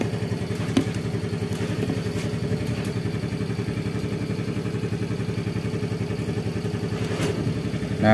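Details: Yamaha Fazzio scooter, whose batteries last only about a month, idling with a known-good new battery (12.67 V before start, over 14 V running): steady, even idle with a fine regular pulse, no knocks or misses; charging normal, engine healthy.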